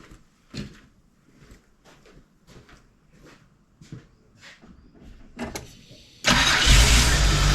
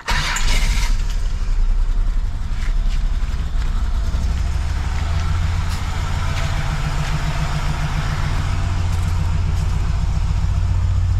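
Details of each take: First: GM 3800 V6 (Holden Commodore) after refitting the ignition coils on the DFI module: starter turns over evenly at about three beats a second, then fires at once and settles into a strong, even run; normal start. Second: Holden VP with a GM3800 V6 runs badly: it cranks, catches, then idles shaky and stumbling. Misfire from a failed ignition coil pack on the DFI module; three coil packs have failed in about 3–4 months.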